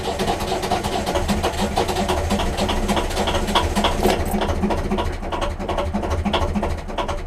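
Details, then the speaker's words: 1.5 BMC diesel on narrowboat Laura cranking after glow plug preheat, around a glow plug change: steady cranking about three and a half turns a second with chuffing compression, catching but never starting, as it does every start. "can hear she's catching but not quite starting. I'll try again. And this happens every time I start the engine."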